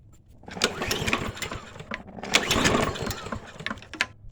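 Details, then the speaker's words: Toro 22-inch Recycler mower, choke held, two-cycle mix primed; pull-cord cranking with a few brief pops that die at once, never catches; clogged carburetor jet, oil spewing. "all right you know what that means we have a clogged jet and oil spewing everywhere"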